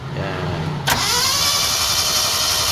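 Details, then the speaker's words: Mitsubishi Lancer GLi 4G15 that sat and overheated, still misfiring after a general overhaul, compression test: steady even cranking whirr with no compression pulses, cylinder 4 reads zero while cylinder 3 showed 150 psi. "mga boss walang compres kita niyo ikot ng makina tuloy-tuloy walang keson talaga to mga PD"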